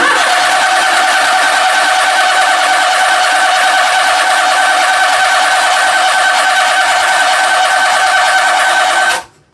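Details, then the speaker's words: Daihatsu S210P mini truck engine after new OEM camshaft and phaser, sat two years, fuel relay pulled: steady starter whir with even compression beats about three a second, never catches; cranked without fuel to build oil pressure and lubricate top end. "You know what? Let's just crank over on it. No fuel. And uh we'll get the top end lubricated, get some oil pressure going up there."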